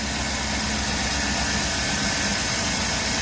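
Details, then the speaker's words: GM 5.3 V8 truck at idle: steady, even mechanical rumble, somewhat loud with some belt chirp, no valvetrain tick or knock. "it's just a little loud it's got some belt chirp it does need a belt but no valve train noise knock on wood just the loudness of an engine"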